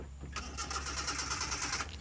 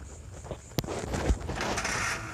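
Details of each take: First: Old car with distributor and contact points, engine misfiring: after adjusting the point gap, the starter cranks rhythmically about 1.5 s but never catches; a broken contact-point wire is later found to be the cause. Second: Petrol car engine with distributor ignition after fixing a misfire (broken clip found, points adjusted): steady, even low idle rumble with no stumbles; now sounds good.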